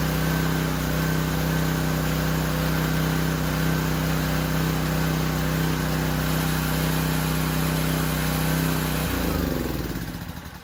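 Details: Discontinued Powerstroke 2200 PSI pressure washer, cold start at dusk: small single-cylinder engine surged briefly on start-up, then ran at a steady, even, smooth pace far better than before; normal running.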